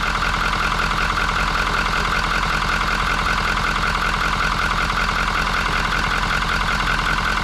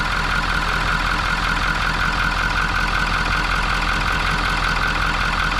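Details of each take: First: 2019 Ford F350 6.7 Powerstroke diesel, 88,000 miles, after replacing clogged CCV crankcase filter that caused crankcase pressure, oil and smoke: steady, even idle clatter, no surging or knocks, no crankcase pressure; turbo still damaged. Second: 2019 Ford F350 6.7 Powerstroke, 88,000 miles, cold idle, running rough and blowing oil and smoke from exhaust: light fast chatter as the oil cap dances from excessive crankcase pressure caused by a clogged CCV filter; turbo damaged.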